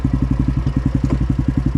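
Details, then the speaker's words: Yamaha Grizzly 660 ATV broke down on the trail: fast rhythmic clicking over the engine, wheels locking and shuddering with clunks, and an oil or gear grease smell; owner suspects the differential, not confirmed. "Why is it clicking like that? Why does it stop like that? It's got to be something to do with the diff, right?"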